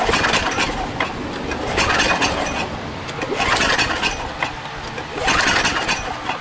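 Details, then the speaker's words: Generator engine with very few hours that sat unused for years: slow, uneven pulls about one every two seconds with a weak chuff; compression only 30 psi versus at least 90 needed; possibly a blown head gasket, carburetor also bad. "but with it only 30 psi that is not it's nothing I mean you need somewhere around at least 90 or so"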